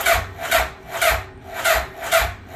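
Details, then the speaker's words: 2003 Suzuki Hayabusa, which cranked as if it had no compression when bought, cranking on a freshly charged battery: slow, even cranking with a pulse about every half second as compression builds; compression sounds good. "it cranks nice and slow but that's what I want to hear uh you can hear each individual rotation where it's uh the compression is building up"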